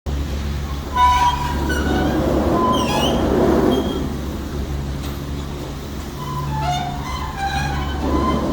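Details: 1996 Poma Challenger chairlift return terminal, short version, design speed 900 fpm and usually running about 750 fpm: high, wavering screeching squeals come and go over a steady low rumble.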